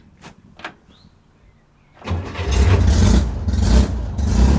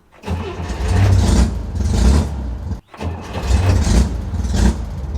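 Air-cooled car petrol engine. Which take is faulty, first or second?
first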